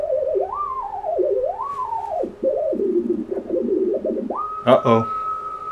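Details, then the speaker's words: Basic Hartley oscillator built with a J310 JFET, heard on an HF rig: the tone swoops and wobbles as a hand nears the coil, then settles; the oscillator is extremely unstable and vibration-sensitive, with frequency pulled by hand capacitance. "alright so we turn the volume up you can hear this thing it's make an RF as you can see with the scope back there but it's extremely unstable watch what happens to the pan adapter I'm gonna end the sound when I bring my hand next to the coil"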